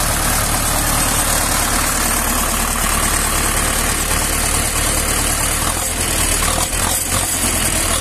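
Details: Tractor diesel after head-gasket repair: previously coolant rose and gurgled as compression leaked into cooling system; now even, steady idle with smooth unbroken beat, no knocks; pressure 5.5 at 1200 rpm, coolant no longer rising.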